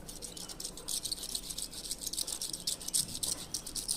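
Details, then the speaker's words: Ventisilva fan, bearings seized and noisy: old worn bearing turned by hand gives dry gritty uneven rattle, while the new bearing is silent. "O rolamento novo ele não faz barulho, ó. Não escuta nada. O velho já tava."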